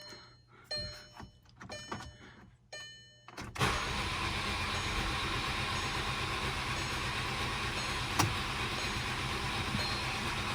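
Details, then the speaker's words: 2010 VW Passat 2.0 TSI turbo, 95,000 miles, cranking without starting: fast even smooth whir with no compression chug; suspected failed timing chain tensioner, unconfirmed. "if you try to go to start your engine and it sounds smooth like it does has no compression or just sounds really smooth like an electric engine and it's not starting watch this video it's probably the timing chain tensioner"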